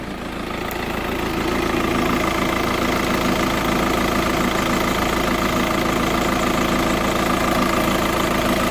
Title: Tdi ticking sound